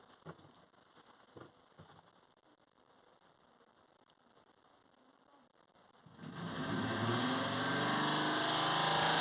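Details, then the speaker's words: Peugeot/Citroen in limp mode with code P0493 fan twin speed no command, high-speed fan commanded by diagnostic tool, low speed dead: harsh crunching grind like ice in a blender; fan blades rubbing on crash damage behind grille. "Doesn't sound right, does it? It sounds like when you got ice or something and you're breaking it in a blender. It's It's not right."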